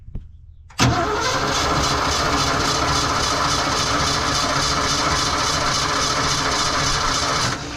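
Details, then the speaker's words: 1982 Ford F-150, 302 V8, carbureted, manual, neglected fuel system with rusty tank: starter chugs steadily with no firing. No fuel from the mechanical fuel pump, suspected as the cause, not confirmed. "Yeah, I think it might be the fuel pump. This thing does not look healthy. Yeah. Look at this. There's no fuel coming out. This might be our problem right here."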